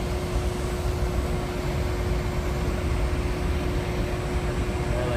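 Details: New Trane modulating gas furnace after the gas regulator was opened and turned up from about 4.1: even, steady burner roar with a constant low hum, no puffing or flame dropout; normal burner operation.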